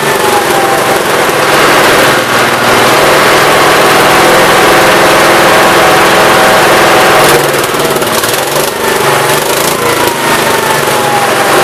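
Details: 1969 Gravely 432 after the carb main jet, out too far, was leaned and the carb cleaned. Loud, steady engine note with no popping or banging on throttle, running well.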